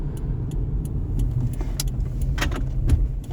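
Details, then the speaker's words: Subaru with CVT, on the road: sharp irregular clunks over steady road rumble on bumps, knocking from the right front; car wanders under braking, pointing to loose front suspension, likely worn bushings. "But you can feel the suspension's wandering. You can feel it's very knocky and bangy from the right front."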